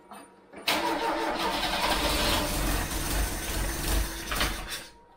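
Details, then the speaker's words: Freshly installed Pinto engine in a MK3 Cortina, choke tried; starter churns steadily about four seconds at a brisk even rate, never catches; crank no start, possibly flooded. "I don't know why it doesn't just go like a trooper they normally just go like Troopers just kick straight in no matter what"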